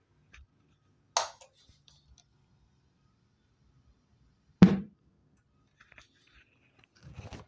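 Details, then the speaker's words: TPA3116D2 amplifier board with added relay: relay clicks at switch-on, then a heavy low thump through the speakers at power-off persists, believed due to power supply and amplifier capacitors keeping the relay energized. "So the sound is still there and I believe it's because of all the capacitors inside the power supply as well as on the amplifier circuit."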